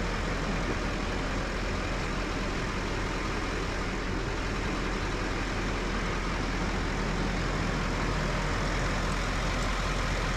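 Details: Duramax LML diesel rebuilt after repeated cracked pistons, with a forged crank, DPS moly pistons and an aftermarket harmonic balancer. First start after the rebuild: it fires and settles into a steady, even idle with a deep uniform rumble and no knocks or misses.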